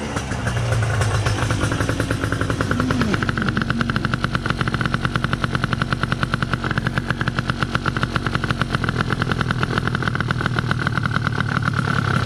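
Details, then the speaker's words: Gilera Runner 180cc scooter after SmartCarb SC2 install, mixture leaned out further: even, rapid two-stroke popping at a steady, slightly raised idle, no misses or hunting; normal idle. "so yeah the idle's higher now just leaner"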